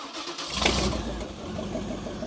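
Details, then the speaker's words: Cub Cadet garden tractor with a swapped-in 305 Chevy small-block V8, first start after adding fuel, before the fuel pump replacement and a possible carburetor rebuild: catches after a brief crank into a rough but steady low burble, like a boat motor out of water; normal running. "Look at that. Sounds like a boat motor out of water."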